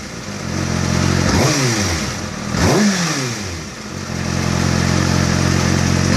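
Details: Kawasaki ZX-6R four-cylinder engine, fully warmed up, idling with a light fairly regular ticking noise, briefly blipped twice.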